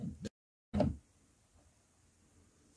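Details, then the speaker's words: Tronxy 3D printer Z axis: two dull clunks then a faint hum as an overlong screw catches the Z-axis belt and gear; fix is replacing it with a shorter screw. "see part of the problem is this screw here what this screw does is actually ends up catching on the belt and the gear right there because it's a little too long"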